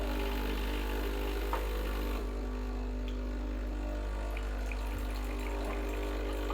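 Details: Breville Barista Express BES870, near new (used 20–30 times), pump running water through to warm the portafilter handle and cup: steady low buzzing with water rushing, even and unbroken; normal pump operation.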